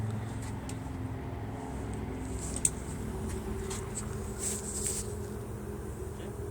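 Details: Nissan Z31 petrol V6 on first start after rebuilding all injectors and fuel rail parts: rough idle with uneven, stumbling low rumble, still misfiring of unknown cause, with many exhaust leaks.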